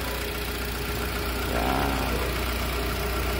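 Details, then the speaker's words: Vehicle with hard-starting complaint, now idling: steady, even, soft low hum with no knocks or misses, very quiet engine; problem was only the battery. "walang kaingay-ingay makina tahimik battery lang po ang problema yan"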